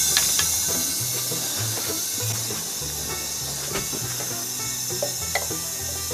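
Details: 1965 VW 1200 40 hp engine on leak-down air test, cylinder reading about 53, leaking more than it should: steady high hiss of escaping air with faint clicks; air traced to where it leaks out; leaking cylinder head seal.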